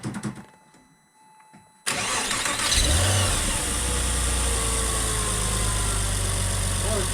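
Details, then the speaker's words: Porsche 986 Boxster S just after replacing the air-oil separator, fired up with the air filter removed: a quiet spell, then it catches and settles into a loud, steady, even idle with heavy intake roar; runs clean. "It runs. That it does. That it does."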